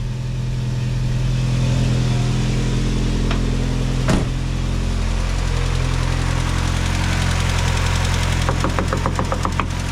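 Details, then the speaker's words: 1987 VW MK2 Jetta just swapped from 3-speed automatic to 5-speed manual, after first start: steady, even low idle hum, no knocks, misses or rattles; smooth healthy idle. "The Mark II starts every time. No problem. No more automatic. The car is officially a manual."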